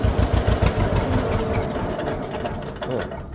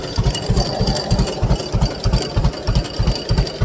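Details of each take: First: Newly bought tractor restarted in neutral with the clutch out, heard from the driver's seat. A slow two-cylinder putt-putt stumbles unevenly right after starting, then steadies into a smoother beat; a brief hiccup after the start. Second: Newly bought two-cylinder tractor in neutral, throttled down to its lowest idle. Slow, even chug at about three beats a second, steady and unhurried; a healthy low idle.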